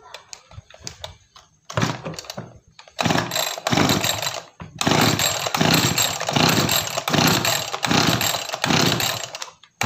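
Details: Small two-stroke farm sprayer engine surges and stumbles when throttled, cutting out twice and lacking power; carburetor opened, dirt suspected as the cause.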